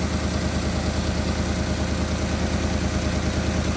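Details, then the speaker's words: Porsche Cayenne GTS 4.8 V8, first start after new oil, air filters and spark plugs: smooth even idle with steady low burble, no knocks, misses or hunting; sounds much better, normal idle. "So, it's got new oil, new air filters, uh, new plugs. Oh, that sounds better."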